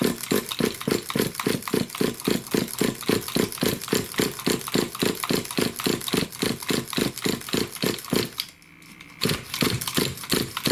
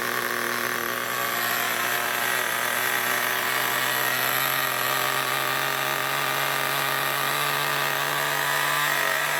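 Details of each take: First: New RC nitro engine with the pull starter: steady, fast cranking chuff that never catches; turns over but won't start. Possible flooding; a loose glow plug is suspected, not confirmed. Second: New nitro RC engine after tightening a loose glow plug, running in outdoors: loud, steady high buzz at one even pitch with no misses or sputters, smoking; normal running.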